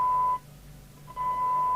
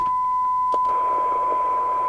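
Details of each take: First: Harvard 420M CB27/81 UK FM CB radio after squelch repair (missing resistor replaced): steady high test tone drops out under a second then returns cleanly; squelch opens near 0.7 µV and closes at 0.62 µV properly. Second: Harvard 420M CB27/81 UK FM CB radio on the bench, squelch at full with the signal generator off: steady tone with loud hiss rushing in and out; squelch not muting, traced to a resistor removed from the squelch switching circuit.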